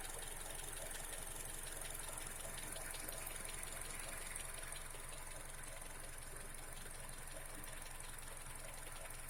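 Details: Honda CR-V K24A engine at quiet idle: light, quick ticking about three per second over a steady hum. Suspected valve tapping; exact cause unconfirmed.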